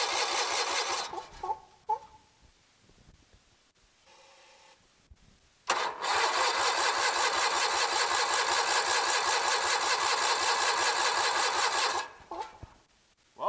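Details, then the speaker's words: Kohler 23 HP big block engine cranking after spraying starting fluid: starter spins it evenly about 2.5 turns a second for several seconds, never fires; good compression, plugs then checked and replaced. "Doesn't look like she's going to do anything. Alright, so we'll get this plug pulled here. Now it does sound like she has pretty darn good compression, so."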